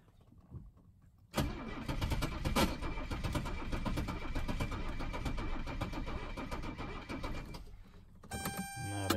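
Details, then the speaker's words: 1982 Mercedes 300SD turbo diesel bought non-running, cranking on a tired battery: starter churns slowly and unevenly, about two a second, and the engine never fires; crank no start, owner suspects the starter. "that doesn't sound good there might be something going on with the starter acting up"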